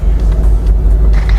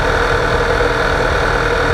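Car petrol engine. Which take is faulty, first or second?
second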